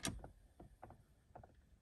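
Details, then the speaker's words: 2003/04 Mustang Cobra HVAC: vacuum-operated mode doors switching floor to vent give quiet soft clicks and brief puffs in small clusters as mode changes; normal vacuum actuator operation. "you hear that that's all vacuum so that's why you can hear that"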